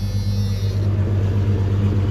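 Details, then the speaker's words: Jeep Cherokee 4.0-litre six-cylinder, sat a while but run the day before, started before its LS swap: steady, smooth idle with an even low hum, no misses, ticking or squeal. Normal idle. "Sounds good for 6-cylinder. Yep. Yeah, soak it in, you guys, because that was the last time you'll be hearing a 4-liter in this thing."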